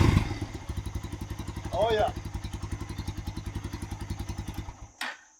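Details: Motorcycle that previously only clicked and would not start, after the fix: the engine catches, settles into an even thumping idle at a few beats per second, then is switched off; it now starts and runs properly.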